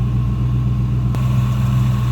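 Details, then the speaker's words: 1965 Ford Mustang convertible, C-code 289 V8, automatic, early build: steady even low V8 idle, smooth unbroken rumble with no ticks, knocks or stumbles; smooth running, healthy. "Smooth and running 289, as you can see."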